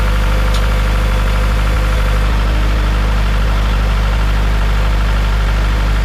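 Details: Farmall Super M tractor engine, before the rebuild: deep heavy idle with a dull, slightly uneven tapping of about four knocks a second; knock inside the engine, source not yet found.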